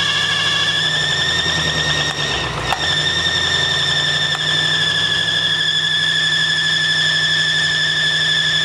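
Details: 1965 Mustang GT convertible after replacing belt and fitting Tuff Stuff 7068K 140 A alternator: loud steady high-pitched squeal over engine, brief dip; slipping belt or pulley suspected, source unconfirmed.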